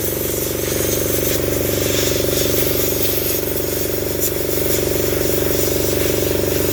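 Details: Truck engine running steady with a fast, even pulsing hum through the bed, about 158 beats a minute; fuel pump is going bad.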